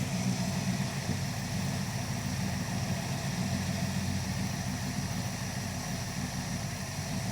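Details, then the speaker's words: Dodge crew cab Charger project: steady, even V8 idle with light buzz from the engine-driven cooling fan on the front of the motor, no knocks; normal idle. "This doesn't sound bad, guys. You know it's good when you can hear the sound of the cooling fan making that buzzing noise."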